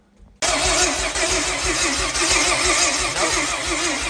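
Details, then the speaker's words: Rear-wheel-drive Honda Civic race car with slow-cranking complaint: starter spins the engine at an even rhythm with no firing; crank no start, no spark and no fuel. "Nope. No spark. No fuel. Okay, double check."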